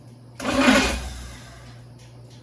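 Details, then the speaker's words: 1969 Pontiac GTO barn find with Grand Prix engine, TH400 and Quick Fuel 750cfm carb, cranked after sitting 17 years following wiring work; catches with loud rough burst, fades, fires again, a little smoky and rough. First start after long storage. "well look at her a little smoky sound a little rough i'd say it runs"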